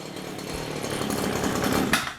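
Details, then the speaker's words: Stihl hedge trimmer (possibly HL94K), two-stroke, after fixing no-power, running-in-a-vacuum sound by clearing the spark arrestor screen; warmed up about a minute. Buzz climbs smoothly when revved and eases off cleanly, no bogging; normal running, fixed. "It sounds like it can breathe now. Might just need to warm up a minute."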